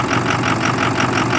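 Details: 2006 Ford F250 6.0 Power Stroke with a hard start and loss of power, cold after 5-5.5 hours on the block heater, phone on the steering wheel, fuel pressure just over 50 psi: heavy clatter with an uneven, loping beat; rough idle, cause unknown.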